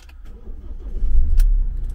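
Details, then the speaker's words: Ford Transit diesel van, previously would not crank due to an AdBlue/SCR fault, after an AdBlue SCR reset with a scan tool: brief crank then a steady low rumble; normal start. "now got a runner."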